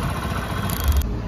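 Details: Hero Splendor Plus single-cylinder motorcycle after repair of a problem that caused missing and stalling: even little putter at idle, steady beat with no misses or stumbles; now idling smoothly and healthy.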